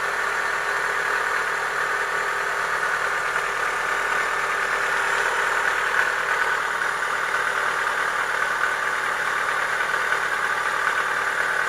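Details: Chevrolet Lacetti 1.6 petrol engine at idle with faint quick tapping knock, about three a second: worn piston knock, cured by boring the block and replacing the piston group.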